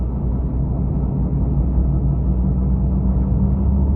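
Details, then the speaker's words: Proton Saga BLM driven slowly: low steady drone over road rumble from the front wheel, louder at higher speed; front wheel bearing hum, grease gone hard and dry. "Dia ada bunyi berdengung ah dekat tayar dia. Kalau kita bawa kereta ni, ni saya t drive lah ni. Saya bawa kereta ni. Ha ha dia macam tu. Tapi yang merisaukan dia punya berdengung tu. Kalau bawa laju tu berdengung tu biasanya berdengung ni bearing tayar eh."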